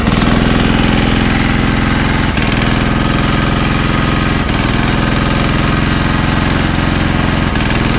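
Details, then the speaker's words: Single-cylinder generator engine after its head was bored for gas fuel, warmed up and running with no load: steady thumping with a sneeze-like misfire every two to three seconds; the cause is unclear. "Ну тоді получається оцей оцей нагрівся і беіз нагрузки він ще чхає о чуєте"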